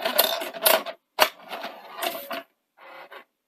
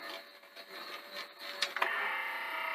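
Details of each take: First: Sanyo VTC-NX100 Betamax with no deck functions, after replacing the blown semiconductor fuses: short bursts of whirring and clicking as a blank tape loads and moves, no grinding or stalling. Deck mechanism working normally. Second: Sanyo VTC-NX100 Betamax with a missing belt: after a couple of clicks the reel motor whirs freely at a steady high pitch, running unloaded with no reel rotation.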